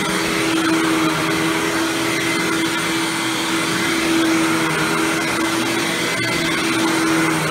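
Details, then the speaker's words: Hoover Windtunnel Supreme upright vacuum after motor replacement, test run without headlight: steady, even roar at constant fan pitch, no surging or rattles, much better than before and no loud wind-down sound anymore; normal running. "much better than it did before and it doesn't have that loud wind down sound anymore"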